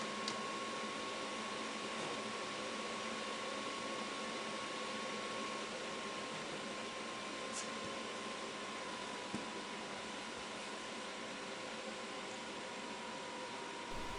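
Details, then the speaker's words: VEVOR Chinese diesel heater, first test run on a 12 V deep cycle battery, after preheat: steady fan hum with a thin whine and faint quick dosing pump ticking about four a second; normal start-up. "after i shot it on the preheat time it starts to run and i can hear the fuel pump pulsing"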